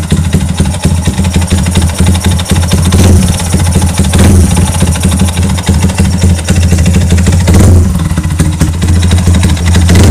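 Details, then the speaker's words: Yamaha Y15 motorcycle with a loud, coarse, uneven idle and gruff rumble, throttle blips; the noise fades when the throttle is opened. Mechanic suspects a broken, open or snapped part on the left side, not confirmed. "Kita tekan minyak bila kita terai pulas bunyi bising tuh dia akan hilang macam bagian sebelah kiri biasanya patah ataupun terbuka ataupun putus"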